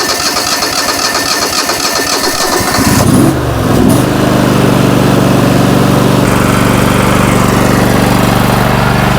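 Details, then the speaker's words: John Deere LX188 water-cooled riding mower, after a starter replacement, coolant a little low: it catches after a few cranks and settles into a slightly uneven idle, then smokes and smells of oil; owner suspects a blown head gasket, unconfirmed. "woo starting to smoke now hold on never did that before course smells like oil oh maybe a blue head gasket or something"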